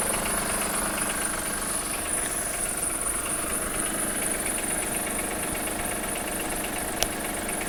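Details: 2003 Acura MDX V6, 208K miles, misfires on all six cylinders, overdue timing belt, ticking valves: light uneven ticking knock two to three a second at idle; dealership suspects wrist pin or rod bearing, owner suspects jumped timing tooth.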